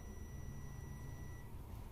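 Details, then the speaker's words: LG 42PA4500/42PA4520 plasma TV with standby light blinking and no sound or picture. A multimeter in buzzer mode, with one probe on ground and one on the VA/VS point, gives a steady continuity beep even with the Z-board supply disconnected. This shows a short on the Y-sus board, suspected IGBT or other component, dropping the supply. "अभी देखिए, अभी भी beep आ रही है, इसका मतलब हमारा जो ये बोर्ड है वो जो इसके IGBT वगैरह हैं या फिर कोई और कंपोनेंट है वो ख़राब है, जिसकी वजह से इसकी जो सप्लाई ड्रॉप हो रही है।"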